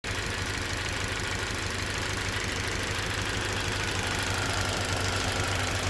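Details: Toyota Verso 1.8 2ZR-FAE Valvematic, petrol/LPG, 180,000 km, at idle: slightly uneven idle with faint irregular stumble; engine shakes, occasional cylinder 4 misfire; compression ~13 bar, plugs, coils, injectors OK, no leaks or codes; spark advance varies 0–8; cause unknown.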